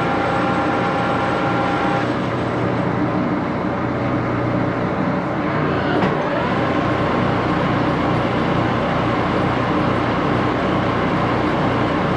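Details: Axelson 14x30" heavy-duty gear head lathe run through its speeds, headstock filled with AW68 hydraulic oil (about SAE 20); steady hum, gear whine shifting pitch at speed changes; noisy but normal.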